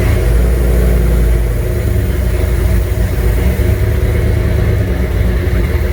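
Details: First fire-up of a junkyard 351W turbo V8 in a 1967 Mustang, new headers, wastegate plumbed into exhaust dumping by the fender; deep lumpy idle swelling and dipping unevenly when blipped; runs but clearly needs a tune.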